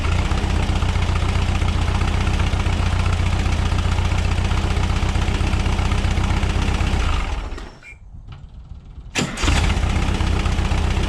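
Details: 1976 Volkswagen Westfalia bus, air-cooled type 4 engine, tuned with synced dual Weber 40 IDF carbs, around test drive: steady regular low chuff at idle, a short dip, then back to an even beat; healthy idle.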